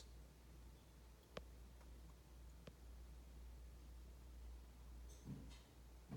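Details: 2011 BMW E93, locked with the engine off and on a charger, heard at the center console: repeated hum and mechanical click like a door-lock cycle while a module keeps cycling every 25–30 seconds instead of sleeping, draining the battery; cause unknown.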